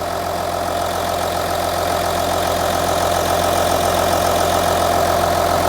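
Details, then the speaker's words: Audi Q7 3.0L diesel after replacing cylinder 4 fuel injector (P0272 cylinder 4 misfire, P0087 low rail pressure): smooth, even idle with steady light clatter, no misfires; no codes present, fixed. "so as you can hear the engine is running this engine sounds great can you tell the difference now no more Mis fires engine sounds good"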